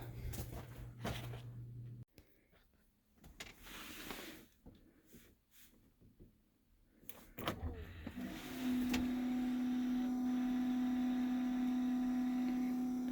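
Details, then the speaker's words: Case Steiger tractor with the key on and brand-new batteries, before a cold start: after some clicks, a steady, even electric hum as the DEF fluid pump runs, reportedly for up to 40 seconds to a minute, before cranking. DEF pump priming. "You could hear the DEF fluid pump running, and they're supposed to let it go for, I forgot what it says, it could go up to 40 seconds to a minute, I think."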